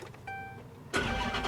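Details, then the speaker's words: 2007 Bentley Continental GT at Copart, listed as a non-runner with a possible custom exhaust: brief starter tone, then it catches cleanly and settles into a strong steady run without stumbling; healthy start. "very interesting guys it's listed as a non-runner but she runs very well"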